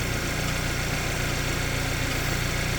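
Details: Hyundai Sonata engine with a fast, light, even tick-tack that follows engine speed, most prominent at idle. It began suddenly, after which the car sat unused for a long time. A garage said the noise is from the engine; the source is unconfirmed.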